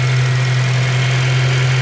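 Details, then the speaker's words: 2006 Honda Civic Si (8th gen, K-series) idling smoothly after PCV valve replacement; the scratchy sandpaper-like grinding at startup near the idler pulley area is gone, with only normal loud injector clicking in the background. "I don't really hear the grinding noise anymore. Um, like I said, all I did was replace that valve right there."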